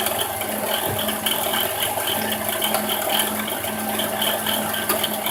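A constant gritty whir with a fine rattle and faint ticking over the idling engine, the rough hum of a worn alternator bearing.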